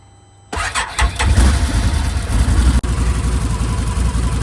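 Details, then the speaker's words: Can-Am Defender HD10 after replacing front and rear exhaust pipes, gaskets, springs and oxygen sensor: starts and settles into a steady, fairly quiet idle with a low even exhaust note, no leak puffing or ticking; penetrating oil burning off, much quieter; normal. "Looks pretty good so far. Some of the penetrating oil I use is burning off, but much quieter."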